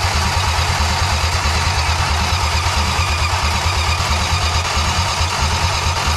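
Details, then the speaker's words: 1962 Plymouth Valiant Slant Six automatic, first run after months of work; loud steady high-revs drone with no throttle changes because the throttle is stuck wide open: engine running with stuck wide-open throttle. "the throttle's wide open oh I was like I don't know what we're but okay we run now got it it'll run now"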